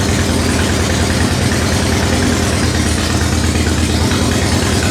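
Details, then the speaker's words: Harley-Davidson Sportster V-twin just cold-started after sitting 8 months: loud fast steady idle with even throb, held up on choke; normal high idle during warm-up. "This is probably one of the purest sounding smores out there. This thing when we get it down off the high idle, it sounds nasty."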